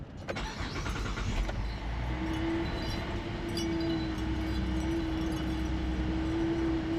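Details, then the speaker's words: 2010 Buick Enclave CXL V6 just started cold, about 35 degrees, holding a raised steady fast idle with a faint constant tone that should settle; earlier it stalled at idle, misfire attributed to a vacuum leak. "Ven y aquí está con como a 35 la temperatura está frío Por eso está así hay que darle hay que darle un tiempecito a lo que baja"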